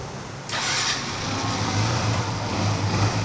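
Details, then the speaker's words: Yamaha FZ-S motorcycle after a complete engine rebuild with the carburetor refitted: starter catches at once and the engine settles into a smooth, even idle; the noise it made on starting before is gone. "చూడండి, engine sound అనేది రావట్లేదు, చూసారా? చాలా స్మూత్గా ఉంది engine అయితే."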